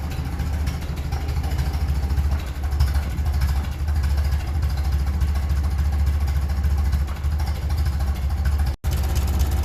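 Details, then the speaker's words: 1957 Ferguson 35 TVO tractor idling just under 400 rpm, not yet up to temperature, after water distribution plate repair with body filler and re-flattening: slow, steady low thump, even and unbroken, healthy so far; normal idle. "yeah that's under 400 shot say 400 that's the lowest should have"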